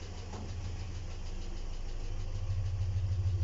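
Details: ZMZ 402 engine idling with a steady drone and faint regular light metallic ticking, about three per second. Valves adjusted, no misfire, pressure holds, and the engine is unrebuilt apart from cylinder head removal and inspection. The owner asks where the knock comes from; cause unconfirmed.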